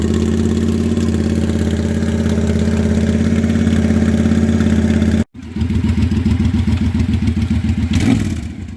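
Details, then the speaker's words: Used 2012 Triumph America V-twin, about 20,000 km, with short "Cocktail Shaker" exhausts: loud even idle with deep steady lope, then crisp revs climbing and settling cleanly; healthy engine, loud exhaust. "It's got fairly short pipes on it right now, so it's really quite loud."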